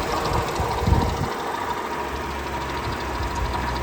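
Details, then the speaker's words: Vauxhall Corsa engine idling, heard under the bonnet: steady high whirr over the running note with rough rumble; mechanics diagnosed worn water pump bearings. "as you can hear it's quite noisy so I had this started at the back when it first came in a couple of mechanics came out and just said water pump bearings so uh that's what I would say too"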